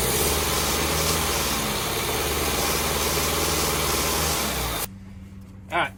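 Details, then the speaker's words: 1989 Nissan 4x4 pickup, four-cylinder with eight spark plugs, 5-speed manual, parked about eight years, tried with brake cleaner. Starter spins steadily for nearly five seconds without catching; cranks but no start because no fuel is reaching it. "getting no fuel to her so we're going to see if there's any fuel coming up out of the filter right here"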